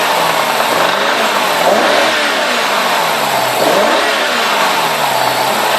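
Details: BMW E60 550i V8: engine revved up and down repeatedly, dry clacking clatter mixed into the roar from about 2500 rpm upward; source unknown to owner and not identifiable by ear.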